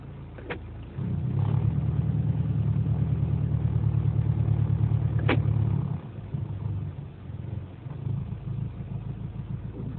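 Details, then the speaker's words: Mitsubishi Lancer GT / Proton Inspira 2.0 with a deep droning idle rumble and vibration, worst on cold morning start, lower in reverse, quieter in drive, rpm normal; broken engine mount found and replaced. "So what I found out is that it's most likely the engine mounting that's broken."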